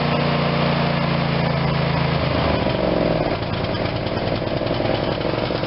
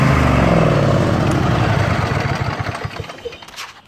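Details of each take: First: Craftsman YS4500 tractor, Briggs & Stratton 22hp Intek OHV twin, after carb disassembly/cleaning and intake reseal: steady even putter, no stumbles or hunting, smooth speed; now running how it should. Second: Craftsman YS4500 tractor, Briggs & Stratton 22hp OHV Intek twin, restarted after sitting a couple of years, jumper pack attached: runs well choke out, terrible choke in; uneven, loping, sags then fades; carburetor restriction from sitting suspected.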